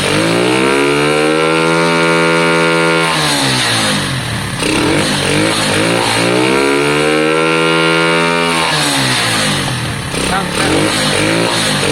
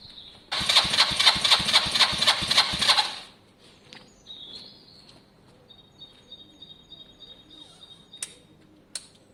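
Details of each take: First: Lexmoto Valiant motorcycle converted from EFI to carburettor, on stand: pulls up through the revs twice, pitch rising smoothly and falling back without stumbling, peaking cleanly and better than before; owner reports valve issues. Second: Lexmoto Valiant single-cylinder motorcycle after EFI-to-carb conversion, basic test run; fires and revs in quick regular pulses but sounds flat and strangled, not screaming; owner suspects the carb jet (105 fitted) needs changing.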